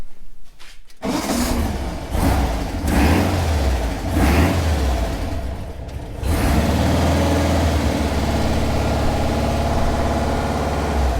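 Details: Engine in a Manx buggy, first start after refitting the carburetor. It catches after a second, blips up and down a few times, then settles to a steady even run; running normally.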